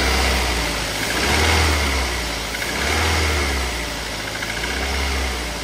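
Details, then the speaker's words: Toyota Avanza engine at idle, timing chain quiet at start-up: busy clatter with a hollow tapping knock that swells and fades with revs; worn pistons suspected, engine to be disassembled. "Jadi suara tok itu e kemungkinan sih piston ya. Kalau kalau pertama tadi dihidupkan timing chinnya sih cukup ya, enggak bunyi timing chinnya. Cuma ini suaranya suara seperti suara pistonok gitu."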